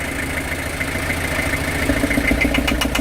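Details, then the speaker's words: Old truck long left sitting, started on lighter gas: rough idle with light regular tapping about three or four knocks per second; knock still present but milder than before, cause unconfirmed. "But it's definitely not knocking as bad as it was."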